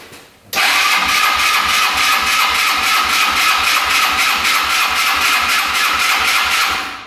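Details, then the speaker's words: Long-sitting Yerf-Dog Scout 4x2 UTV catches on choke and runs with a fast, uneven patter, then fades and dies; clogged fuel filter stopped the fuel pump, so the engine is not getting gas. "yeah it's not getting gas it was at first the filters clogged up so our gas pump stopped working"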